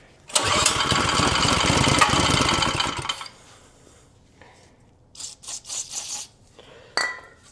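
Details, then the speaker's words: Vintage Tote Gote minibike small engine on starting fluid after replacing a gummed-up carb and new fuel fitting: catches and runs rough and buzzy for three seconds before dying, then handling clatter; it fires and runs. "Now let's just try and run it off starting fluid a little bit."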